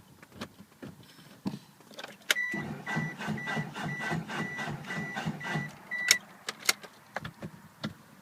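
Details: 1996 Mitsubishi Eclipse GST: scattered clicks and clunks, then a few seconds of labored cranking that never catches, then more clicking. Slow cranking; bad starter suspected.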